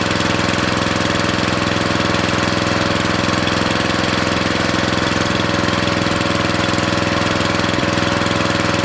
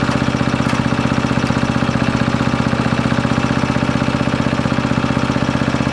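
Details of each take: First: Briggs & Stratton 13.5 cast-iron-sleeve riding mower engine, rerun with air filter back on after suspected oil in cylinder from engine tilted on its side; fast crisp steady single-cylinder beat, no stumbles or knocks, smoke burning off; good running. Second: Briggs & Stratton 13.5 riding mower engine bolted to bench, gas fed to bowl, earlier flooded, mouse nest inside: single cylinder firing steady about three beats a second then labouring; runs but bogs and stops, owner suspects flooding/hydrolock or mouse nest.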